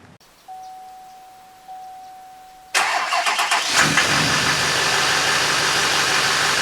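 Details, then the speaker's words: LMM Duramax diesel after replacing serpentine belt, tensioner and idler pulleys to cure a squeak/chirp: after a chime it fires and settles into a steady, even idle with no squeal or chirp; belt noise fixed. "that's me with my ears that is nice and quiet"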